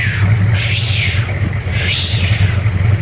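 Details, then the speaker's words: Engine running and revved: strong, even low drone with a steady beat that rises and falls cleanly twice. Normal, healthy running. "oh it's even better listen to this when it revs up"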